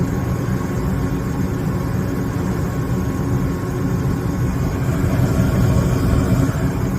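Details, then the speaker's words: Gas furnace blower starting on the circuit-board relay click once the heat exchanger warms up, with burners lit and the thermostat jumpered out. Steady, even low whooshing rumble with no scraping or rattle; the blower runs smoothly and normally. "Click he or the relay click on the uh circuit board there. And there goes our blower."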